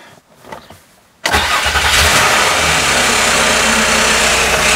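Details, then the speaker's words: Cold first start: engine catches and settles to a fast idle with a busy metallic rattle from the timing chain tensioners until oil pressure builds, considered normal. "a rattle from the chain tensioners that's normal so we got to keep it idling for three minutes"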